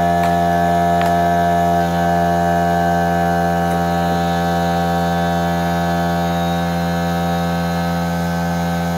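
Steady motor drone with an even hum and constant pitch, no knocking or labouring; the compressor is running normally.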